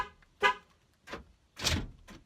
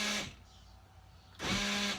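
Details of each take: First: 2003 Ford Windstar SEL power sliding door after replacing the whole lock mechanism, which had been grinding. A few short, clean clunks and a horn chirp with no grinding; normal lock actuator operation. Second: 2003 Ford Windstar SEL power sliding door lock: two short electric motor whirs with steady buzzing, actuator running but lock not engaging; owner suspects stripped or separated actuator gears.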